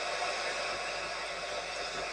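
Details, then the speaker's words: Sony ICF-2001 radio under repair, signal meter reading full strength: only flat even hiss with no voice, music or carrier at any tuning, even on a known station; static only, cause suspected, not confirmed. "signal strength meter is measuring full strength as if we're picking up a station about you can hear all we have is static now we can go up or down what the tuning doesn't matter just picking up nothing but static no matter what I do"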